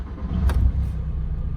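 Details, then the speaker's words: VW Caddy 1.9 TDI with nearly 400,000 km and a hard-starting problem, warmed to about 70°C after repair: quick crank, catches at once and settles to a steady, even low idle; fault traced to a bent, poorly seated sensor, Delphi replacement working. "все працює причина вся в датчику в тому що він відходить як вигинає його щось"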